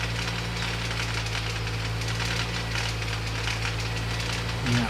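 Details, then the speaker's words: 2006 Mini One R50 Tritec petrol engine idling after timing chain replacement: loose, uneven metallic rattle over the steady hum, a second rattle. "So it sounds like I have a second rattle. Cured the timing chain rattle, only to get another."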